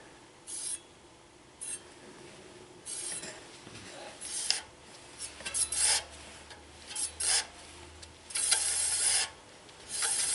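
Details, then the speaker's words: Road bike with Shimano flat-mount hydraulic disc brakes, wheel spinning after the caliper was realigned: a short hissy scrape once per revolution as the rotor touches the pad at one spot. The caliper needs readjusting again. "we just got a touch in there in one place as you can hear"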